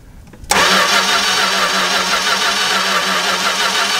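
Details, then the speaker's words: 1964 classic car with newly fitted 318 poly-head engine, strong spark at coil but none at plug wire, cap, rotor or wire suspected: steady even cranking that never catches; crank no start, no spark. "so this will tell us if the cap is okay tell us if the rotor is okay well I'm going to need a different implement it alright so we got no spark"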